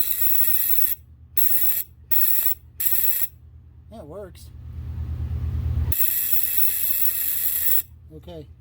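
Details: 1979 Fiat Spider 124 dash, harsh buzzer after reconnecting a ground wire during horn and wiper wiring work: steady buzz switching on and off in roughly half-second bursts, then held on.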